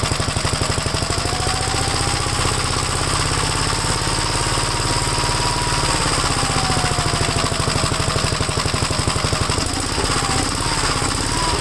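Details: Second Gravely project's single-cylinder engine, run on a 12-volt battery while checking the oil pressure gauge: a steady chug of about four beats per second, even and unbroken with no misfires. The owner is surprised it runs good. Normal running.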